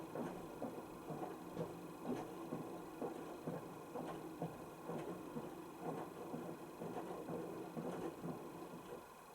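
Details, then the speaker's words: Panasonic NA16-VX1 inverter washing machine (7kg, 1600 spin, 2009), about 12 cycles after its loose parts were tightened. Wash cycle is very quiet, with a soft rhythmic drum swish about once a second and a faint motor hum. No knocks or grinding; normal wash. "your thing you'll notice is how quiets machine is known as it quiet on the wash"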